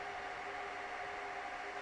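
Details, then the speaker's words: Dell PowerEdge R610 server at no load: constant loud rushing hiss with thin whine as fans race, because the failing ambient temperature sensor (front I/O board) reads 40 °C in a 23-25 °C room; fix is replacing the board. "right so the problem here is that the ambient temperature sensor in this server is failing and it's reading extra high so the rest of the server thinks oh this server must be running in a really hot room and so we have to spin up the fans in order to compensate"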